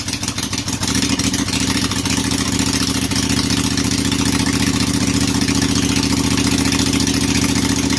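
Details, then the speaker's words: Briggs & Stratton Intek 18.5 hp V-twin, fuel shutoff solenoid removed, throttle and governor tied: catches after brief stutter, then steady even idle with no misses or knocks; runs fine. "oh there we go i would say that that should do pretty good and we'll call that a win"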